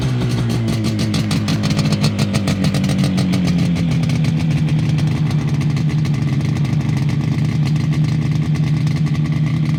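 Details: Fully restored 1980 Yamaha RD250F two-stroke twin: crisp, rapid crackle, steady and even with a slight pitch drop as revs settle; healthy, sweet-running.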